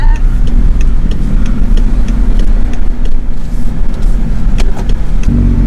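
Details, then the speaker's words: BMW E60 528ix after a hub bearing replacement, driven at about 20–25 mph, where it previously made a horrible sound: steady low road rumble with no growl or hum rising with speed, only rusty brakes audible. Wheel bearings healthy. "it was the bad bearing it was the bad bearing because right now it doesn't produce those horrible sounds anymore"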